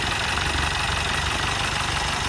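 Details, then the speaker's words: 2022 Mercedes Sprinter, M274 engine, 237k km, cylinder 3 misfire with low compression (90-120 cold, 60-90 warm): loud constant hiss and rapid puffing from the open oil filler at idle. Heavy crankcase blow-by; mechanic thinks the engine is done. "And look, if I put the cap back on, the compression is going to blow up. believe it or not."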